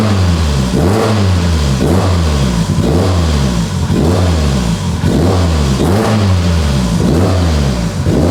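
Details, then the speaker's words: Mitsubishi Evo 8 restoration, first start on a base map, good oil pressure: repeated clean blips, pitch rising and falling about once a second, crisp and even; engine revs freely and sounds healthy. "this sounds so good wow I'm appalled [Music] I'm speechless I just want to sit here and be happy that my car runs"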